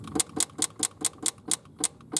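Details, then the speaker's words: 1971 Triumph GT6 Mk3 with Laycock D-type overdrive, slow to engage and rarely working in 3rd: sharp, even clicking about four times a second as the solenoid drops out and re-engages while the gear stick and cables are wiggled. Damaged cable with exposed copper not confirmed as fault. "it's the sound of the solenoid firing out and I'm playing around with these cables"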